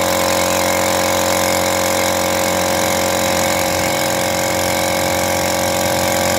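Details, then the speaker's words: Lakoni air compressor after overhaul replacing worn 6003 crankshaft bearing that caused noise: even hum, steady motor pitch, no knocking or rattle; normal running. "hasilnya kompressor sudah tidak Berisik lagi hasilnya setelah overhaul perbaikan sangat baik"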